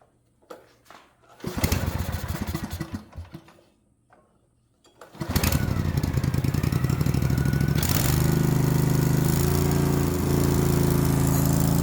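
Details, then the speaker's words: Lawnmower small engine after a carburetor swap and tune-up, run without the air filter: a few cranks and false starts, then it catches and settles into a steady, even idle without surging or stumbling. "I couldn't help myself. It was idling so good that I felt like I needed to go try it, even though I don't have the air filter on it."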